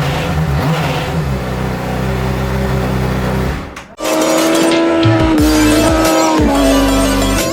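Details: Crash-damaged 2007 Honda CBR600RR being rebuilt, on the stock exhaust after the Two Brothers exhaust was removed: steady, even idle with a smooth deep drone, then a held higher tone; clean running, no knocks.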